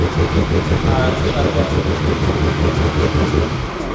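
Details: Ferrari 360 Spider, unrun for years, after a temporary vacuum-leak patch: loud lumpy running with uneven stumbling beats instead of a smooth drone. Misfiring on some cylinders; owners suspect more than two coils and possibly injectors.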